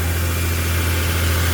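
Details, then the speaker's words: 2013 Nissan Frontier 4.0 V6 idling after replacing the squeaking serpentine belt and tensioner; steady, deep idle with an even hum and no chirp or squeal from the belt. "We're going to crank it up and we're going to hear make sure it's not squeaking anymore."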